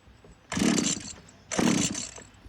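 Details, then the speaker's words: Power PRO24CCHTA 24cc petrol hedge trimmer, trigger held fully: engine flares to high revs, then sags and bogs, repeatedly. Intermittent surging; the carburettor was stripped with no blockage found and is being replaced. "Prim Prim the carburetor and start it up once again and you will see that it's um still doing this inter intermittent revving there's obviously a problems"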